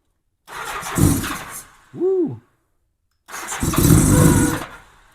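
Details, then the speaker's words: 1987 Honda GL1200 Gold Wing, cold, first start in years, new battery, revived fuel pump, starting fluid, choke not working: two short cranking bursts, never catches; carb bowls likely still filling. Cranks but no start. "Going to take a little bit to get some fuel in them carb bowls probably."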